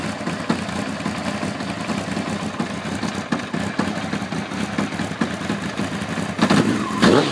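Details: 1992 Honda CBR 900 running engine with irregular light ticking that grows louder with revs; owner suspects cam chain, cam chain tensioner or something else; abnormal engine ticking noise.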